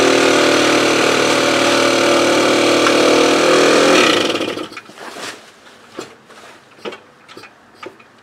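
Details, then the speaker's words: Motobécane AV89 moped two-stroke after ignition repair: starts easily, runs about four seconds then fades and stalls into scattered knocks; low compression, engine too free, explaining bad idle; head gasket blamed. "Enfin déjà, il y avait quand même un problème d'allumage, hein, parce que là elle marche nickel, enfin elle démarre nickel. Par contre j'ai pas de compression, ce qui explique mon ralenti."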